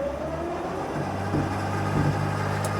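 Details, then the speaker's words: 2013 Freightliner Sprinter 3.0 L diesel in limp mode, in drive being power-braked; steady loaded drone with no turbo build, max boost 1.8, boost pressure positioner only 9.5% instead of 90-100%; low boost under load. "Okay, hold on. Let me let me look at our boost. This thing is not building enough boost."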